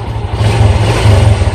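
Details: Fury 125 New Breed motorcycle after repair for dying and sputtering under throttle: deep, steady throbbing exhaust pulses pick up cleanly on throttle without stumbling or cutting out; healthy revving.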